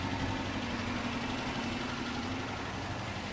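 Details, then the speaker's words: 2006 Dodge Charger RT police pursuit, 5.7L HEMI V8, non-runner being revived: lumpy idle with a rolling, drum-like stumble in the exhaust beat. Running rough; owner suspects a sticking lifter, and it may be improving as oil circulates. "It ain't happy about it. The exhaust note sounds like some kind of drum roll. It does. I feel like it's getting a little better though. I don't know. Maybe not. It might be a sticking lifter."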